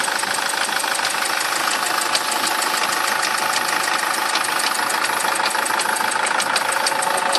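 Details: SsangYong Kyron engine at idle with an unexplained extraneous knock: a crisp, click-like tick repeating about three times per second above the engine hum. Cause unknown.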